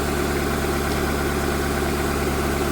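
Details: After cylinder head rebuild (new exhaust valves, reused head bolts torqued 22 ft-lb plus 260 degrees): steady, even idle hum with no misses, knocks or wavering, no vibration, no air in cooling system; running well.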